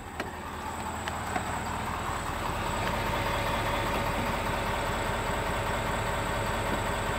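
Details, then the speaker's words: 2020 Ford Powerstroke diesel truck at idle: diesel clatter with a few sharp intermittent thumps early, then it settles; source unconfirmed, owner wonders about the rear fuel filter or water separator housing. "here's the thumping it just idled here that entire time and it didn't do that"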